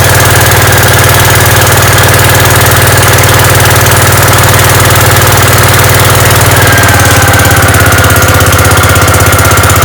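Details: Gravely 5665 running on newly installed Chinese carburetor, mixture screws at 1.5 turns, air cleaner fitted, unloaded: loud steady single-cylinder beat holding even speed, no hunting or sputter; runs clean, load test still pending.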